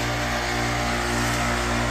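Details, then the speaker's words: Amana AC condenser starting to freeze up: steady electrical hum of the compressor running alone, no fan airflow; condenser fan not running, usually due to a failed fan capacitor. "You can hear the compressor running, but the fan isn't running."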